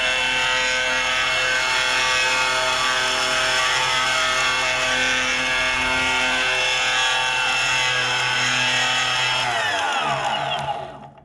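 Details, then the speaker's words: Boosted Stealth electric skateboard, under a month old with just over 200 miles: rough whirring grind over motor whine as the wheel coasts down. Clicking/grinding traced to the back left motor, suspected, unconfirmed. "and yes that sound does get louder and louder the faster you go"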